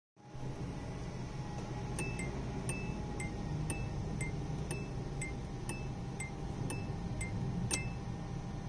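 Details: 1989 Honda Prelude with exterior lights left on and door open: clear two-tone warning chime repeating about twice a second.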